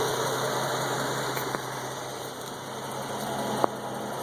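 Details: Light, quick ticking over a steady idle, about three a second: exhaust escaping where the gasket on aftermarket high-flow catalytic converters, installed a couple of years earlier, had partially disintegrated; an exhaust leak.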